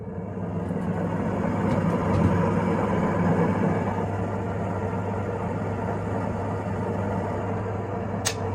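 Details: Range hood sirocco fan over 20 years old, after disassembly and oiling of the motor to cure intermittent loud metallic noises and stopping; now a steady, even hum with a low drone, no scraping or rattle, running smoothly.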